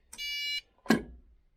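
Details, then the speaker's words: 600 W pure sine wave inverter on a 100 W solar system with 40 Ah battery: single steady half-second beep then a soft click as it powers up normally; fan then seems to stop, possibly low battery charge. "oh look at that it's working where is it okay well it's starting up"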